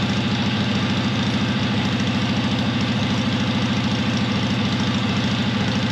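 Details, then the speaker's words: 1970s Onan RV backup generator, twin-cylinder gas engine, long stored, running with muffler off after transmission fluid freed a stuck valve; loud open-exhaust idle, even steady beat about two per second, no misses, both cylinders firing. "so yeah as y'all seen when I poured that uh transmission fluid in there it went to running good so like that other valve got unstuck so that is great that both cylinders are working"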